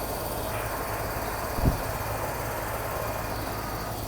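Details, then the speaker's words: AC outdoor unit after repair (new capacitor wired, fuse reinserted), thermostat on cool and fan on: steady airy whoosh over a low even hum as the condenser fan and compressor run normally; the fan was previously not running with loud noise. "Switching to cool, switching to on. And yes, the fan is moving."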